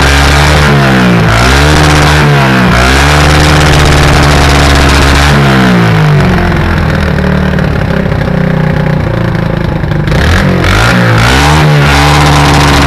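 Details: 1984 Yamaha SR125 revving repeatedly, with sharp irregular pops and crackles from the exhaust at high revs, like anti-lag. This is a high-rev misfire; the owner suspects an intake leak, not confirmed.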